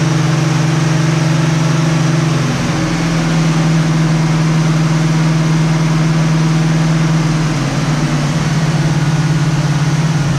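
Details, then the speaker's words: 1967 Camaro SS clone V8 first startup after revival with fresh gas: steady even idle, smooth low drone, no knocks or misses; normal idle. "all right guys well last night we we had a very successful first startup it ran good sounds good not really anything to be concerned about as of yet"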